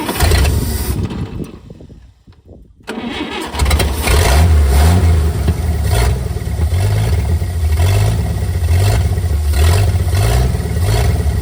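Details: Late-1950s GMC pickup revived after 30+ years in a field, choke found stuck partly closed and freed: cranks, catches after about three seconds, then runs with uneven low beat and wandering speed, never steady; idle mixture screw then found only half turn out.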